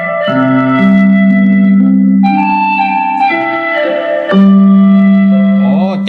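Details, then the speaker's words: Bluetooth speaker box that played too quietly even at maximum volume, after cleaning the dirty volume potentiometer: music plays clean and full at high volume with no crackle or dropouts; repaired. "ที่เราจากที่เราล้างวอลลุ่มแล้วครับเสียงดังดีมากเลยครับตัวนี้นะอ่าเสียงดังดีมากเลยตัวนี้"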